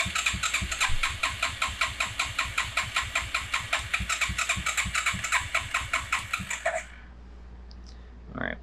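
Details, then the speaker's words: Suzuki Quadrunner LT 4WD ATV after carb work, full choke, vacuum-actuated mechanical fuel pump not primed: the starter churns steadily about two and a half strokes a second for nearly seven seconds without catching; a vacuum line was left disconnected. "We're going to do full choke and then we're going to crank it for a minute and see what happens."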